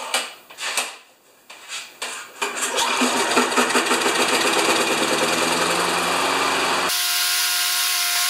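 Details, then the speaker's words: Older Turf Power (Briggs) mower engine, primed and nearly out of fuel, catches after a few pull-starts and settles into a steady, even buzz with no misses; it runs right. "it runs right and you saw it running just a few minutes ago"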